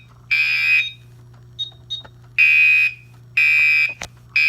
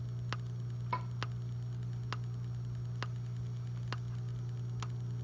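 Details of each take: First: Gentex Commander 2 horn, 24 V model set to code 3 mechanical on constant panel output, sounds normally in alarm. It gives loud, steady buzzing half-second blasts about once a second, each clean and even. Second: Gentex Commander 2 horn strobe, 24 V, set on code 3 mechanical horn with constant panel output: after silencing, a steady low electrical whine with faint ticks about once a second; horn back-fed because DIP switches are set wrong.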